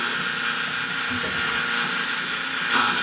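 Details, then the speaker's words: Spectra Newport 400C watermaker on a Leopard 45 catamaran: steady high pump whir with a rough, fizzy edge that briefly swells; air bubbles from a suspected leaking seal reach the vane pump, causing the noise. "and that is fluffy so the bubbles is actually running now all the way into the vein pump which is not good so and that's what's creating the noise"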